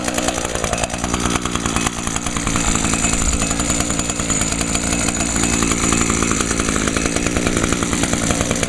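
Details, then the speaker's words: Echo PAS 230 two-stroke after fitting a new carburetor (previously only ran on fuel or spray into the throat, then died): steady high-pitched buzz rising smoothly with throttle, no surging or sputter; runs clean with better throttle response. "Oh, yeah. It runs so much better now. Has much better throttle response, too."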